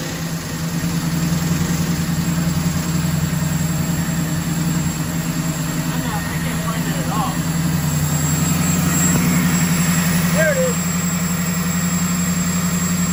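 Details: Ex-police 1992 Chevrolet Camaro B4C 1LE V8, not run under own power in 10 years, after fuel injector refit: deep even idle with steady low rumble, no misfire or stumble; running cleanly.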